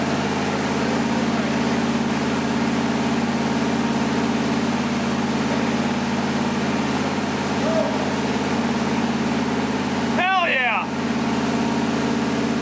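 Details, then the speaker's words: 1977 Ford F150 with a new V8 motor on first start and break-in, at fast idle; an even, steady rumble with no ticking or knocking, which is normal running. "okay golly guys it sounds so good it looks like crap but she sounds like a king"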